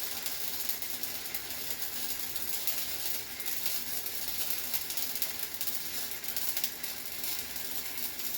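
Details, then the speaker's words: Harbor Freight Titanium Flux 125 flux-core welder, new, first bead on scrap with wire feed turned down slightly: hissing, crackling arc with no settled rhythm, harsh and hot; heat set too high, burned through. "It's running a little high. I blew through on that one."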